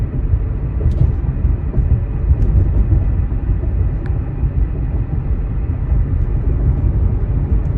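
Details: 2008 Hyundai Santa Fe AWD under acceleration: a deep, steady low rumble carries through the pull with no clear knock or whine; a drivetrain noise under load, cause unclear.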